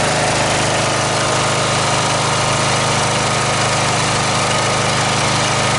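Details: Snapper 38-inch scrap riding mower idling; steady, even drone, no misses or knocks, healthy; small fuel drip, sediment bowl gasket suspected, to be checked, owner says it sounded pretty good. Normal idle.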